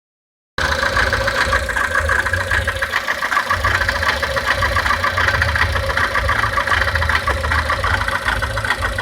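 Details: 1999 Honda Civic petrol engine just after a timing belt job, idling steadily with a busy ticking, whirring clatter and a hum layered over it.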